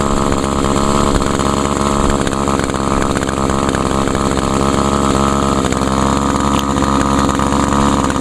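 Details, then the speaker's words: Older Echo SRM 2201 trimmer with 21.2cc two-stroke, choke-started and primed. High, buzzy drone holding steady speed without sputtering or dropping out: normal running, stayed running this time. "wow started up pretty good actually stayed running for a change this time"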